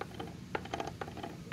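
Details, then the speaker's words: DeLorean manual transmission on the bench, output yoke pushed in: light irregular click bursts, owner feels yoke teeth; smoother when pulled out; owner asks whether normal or parts needed. Clicking when output yoke pushed in. "you can hear everything kind of click click click click click and it feels like i can i can like i can feel the teeth on the yoke"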